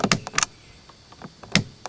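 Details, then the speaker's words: 1991 Mercedes-Benz 420 SEL rear power window switch worked by hand: sharp plasticky clicks in quick pairs, sticky with no firm feel or crisp snap. The switch still works and is to be replaced with a genuine part. "It's just a little sticky. Doesn't have a good firm feel."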